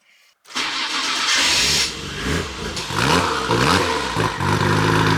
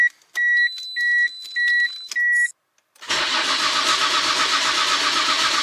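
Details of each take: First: Nissan R33 GTR Skyline that would not start after parking, starting after the fuel pump was rewired and fuel lines reconnected. Short crank, catches straight away and settles to a steady idle with throttle blips. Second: Nissan R33 GTR that drove fine, then wouldn't start after parking: four warning chimes, then about seven seconds of steady cranking that never fires after new fuse and relay fitted; no fuel delivery from a burnt fuel pump connector.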